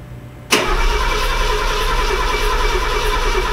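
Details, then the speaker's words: Mercedes W126 after swapping in another carburetor to cure high, jerky idle: fires instantly and settles into a steady, even idle around 800 rpm with no misses; the old carburetor was the fault. "[музыка] [музыка] пол Ну вот этот работает значит дело карби что-то на 800 [музыка] [музыка] оборотов а давление рово у нормально работает всё ши по"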